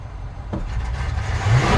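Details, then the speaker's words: 1972 Chevy C20 truck with new FiTech Go Street EFI, in park: throttle snap from idle gives a hesitant uneven rev rise; lean tip-in from insufficient accelerator-pump fuel, being retuned. "it went pretty lean there"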